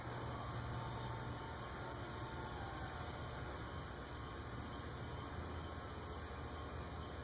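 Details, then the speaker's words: Carib 36" vintage ceiling fan, cast iron spinner motor, on solid state speed control drawing 0.4 A: buzzing loudly with low hum but not yet moving; blade resonance suspected, fixable with rubber washers. Noisy fan hum. "Really? It's buzzing loudly, but not moving. We're drawing 0.4 there."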